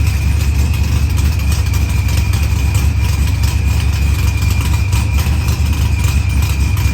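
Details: Dodge Challenger with supercharged LS swap and zoomie headers, after blown head gasket and fuel pressure sensor fixed, firmware V6 220, timing 27° (target 28°), idle leaned: smooth even idle with steady low rumble, no misses, ticks or knocks; healthy.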